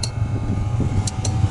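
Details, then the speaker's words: Sharp single ticks about every second over a low steady fan hum: the ZAZ 968 Zaporozhets autonomous heater's dosing pump clicking normally at start-up, after the 45-second wait, on first revival; the fan had been stuck and was freed by hand. "так мы что запуска я все слышал что то будет и щелкать насос работает"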